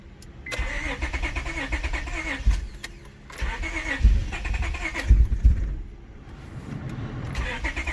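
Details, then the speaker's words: Honda 7th gen Accord with swapped Acura TL J32A3 V6, first start after replacing the lower intake runner gasket: uneven cranking, stumbling lumpy running before it holds; owner suspects no fuel in the system for days after disconnection. "uh like i the first rough start that you guys seen uh when when i first turned the car on i believe that was just related to the fact that there hasn't been fuel in the system for a couple days since i disconnected everything"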